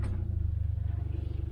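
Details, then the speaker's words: Lexus stuck in sand, in drive with rear diff lock on while winching: deep, steady engine throb that bogs slightly under load without revving up; tyres gripping, not spinning, so winching can continue. "So you hear how it kind of bogged a little bit, tires aren't spinning, so we're good to go, we can keep winching."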